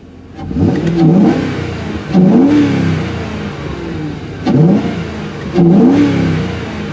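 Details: Mercury 4.6L V8 with four-speed transmission, hood open in snowy weather: four quick, crisp blips from a smooth idle rise and fall back cleanly with a deep, even exhaust note; normal free revving.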